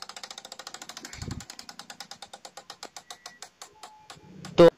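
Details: Hero Passion Pro motorcycle during full service: sharp regular clicking as the wheel is spun by hand, slowing as it coasts; worn speedometer drive gear, louder when riding.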